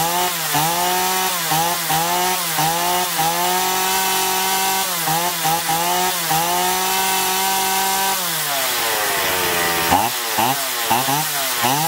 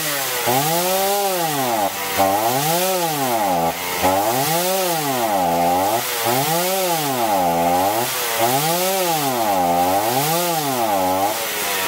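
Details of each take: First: Chainsaw after carburettor cleaning and L/H screws set one and a half turns out, previously surging and losing power even unloaded; revs cleanly, pitch dips into wood and recovers, no bogging, running healthy. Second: Chainsaw running unloaded, revs hunting up and down about twice a second, with no power and poor throttle response; the carburetor, found dirty, is to be disassembled and cleaned.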